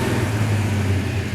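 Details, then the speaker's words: Freshly restored 1967 Plymouth GTX convertible, Hemi: deep rumble rising smoothly on a light throttle blip and dropping back cleanly, no popping or stumble; sounds healthy. "alyssa give it a little throttle hey just give it a little bit bro just just not don't hold yeah just some little stuff like that ah sounds nice that does sound real good"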